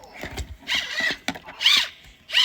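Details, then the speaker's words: Off-brand replacement wheel module for an iRobot Roomba 694, turned by hand: short, rough, raspy whirring bursts. It is hard to turn and sounds funny even compared to an S9 wheel, suggesting noisy drive gears, though the cause is not confirmed. "Even compared to the S9's wheel. Sounds kind of funny. So, definitely off-brand wheels that my mom bought."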